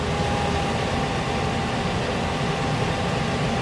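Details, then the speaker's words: 1967 Chevy C10 heater blower motor with the fan switch moved by hand to high: a steady, even rushing hum of air with no knocks or squeal, though the owner says it doesn't sound like high speed. "motor running that should be high doesn't sound like high but it's in the high position"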